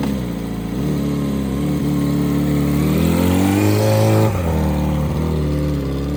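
Deep, loud, booming drone that swells as the revs climb and drops back. The exhaust is far too loud, so the silencer needs replacing.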